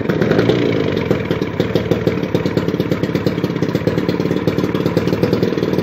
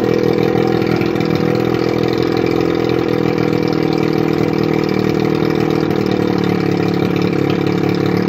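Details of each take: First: 1981 Evinrude 35 HP two-cylinder outboard, gearcase off, weak starter, number two spark plug pulled to start it: uneven rattly popping beat; running on one cylinder; compression 150 psi both cylinders, starter to be rebuilt or swapped. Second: 1981 Evinrude 35 HP two-stroke outboard, run with gearcase off, 150 psi compression in both cylinders, barely warm: steady, even buzz with firm low beat, no misses or knocks; normal running.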